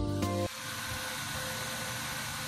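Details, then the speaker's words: Used DeepCool fan on a build-up CPU cooler for a Core i7-3770: loud steady airy rush with faint whine, fan running at 100% by default. "begitu untuk suaranya jadi benar-benar berisik ya karena si fannya ini dia langsung secara default running 100%"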